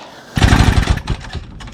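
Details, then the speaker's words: 1936 Johnson Seahorse 200 outboard, on choke at full throttle with spark confirmed. It fires briefly with a rough burst and sputters out within a second; the owner suspects one cylinder lacks spark or the fuel mixture is off. "Hey, she ran a little bit longer. She's just not staying running."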